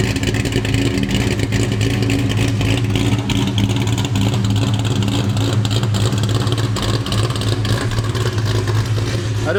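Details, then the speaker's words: Terminator Cobra with big cams and ported Eaton blower, after new tune: deep rumbling loping idle, about three pulses a second, chop kept after tuning, sounds like it's sucking harder; aggressive cam idling normally. "a lot of people were thinking I was gonna lose the cam sound with a tune you got a good tune still got the chop it actually sounds like it's sucking harder"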